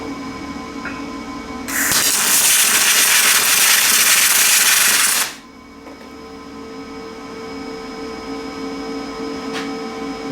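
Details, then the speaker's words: Lincoln 210MP MIG welder at about 175 amps, attempting spray transfer: loud crackling, frying arc for about 3.5 seconds. Still short-circuit transfer; the machine lacks power to reach spray. "nope I can't get it spray uh but we're running 172 amps"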